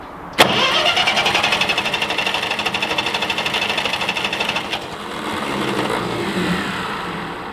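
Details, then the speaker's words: Ferguson TE-20 tractor after a new starter switch and repaired battery cables, jump started: the starter spins the engine over for about four seconds with an even, brisk chugging rhythm, then stops; cranking healthy, ignition not yet checked. "Sounds like success. At least what we've proved now is that it turns over. Starter end of it is fixed."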